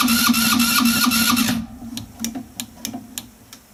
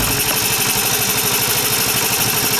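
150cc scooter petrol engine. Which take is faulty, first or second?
first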